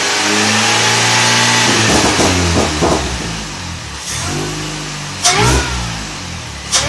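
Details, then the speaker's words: 2006 Mini Cooper S with 17% reduced supercharger pulley, 2.5-inch exhaust, K&N hot air intake and MGK spark plugs: repeated revs, each with a thin whine rising alongside; normal supercharger whine. "I'll try and post the camera up, see if you could hear the whine a little bit better."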